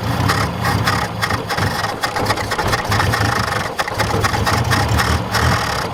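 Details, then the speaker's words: 1967 Toyota Corona RT40, first run after sitting, cold and likely on stale fuel; uneven, surging idle with loose rattling that stumbles and needs the accelerator feathered to stay running. Possibly short of fuel, not confirmed. "you've got to feather it to keep it running yeah the accelerator"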